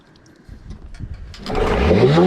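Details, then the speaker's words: Rebuilt Nissan Tohatsu 9.8 two-stroke outboard, new rings, fresh gas, run in a test tank: catches then revs uncontrollably up to the rev limit with no throttle control; misadjusted spark advance. "So we put the motor all back together, took it outside to run it, got it started, but it revved up super high. It went up to the rev limit uncontrollably."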